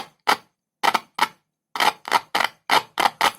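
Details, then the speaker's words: Speaker tested with a single cell, one wire end on the cell and the other tapped: a sharp, loud, clean click each touch with no rasp or buzz; coil and cone are fine. "आवाज कितनी तेज है, यह देखें, क्योंकि screen बड़ी है, और इससे जुड़ा कोई भी एम्पलीफायर अच्छी ध्वनि उत्पन्न करेगा। देखो यह कितना तेज है।"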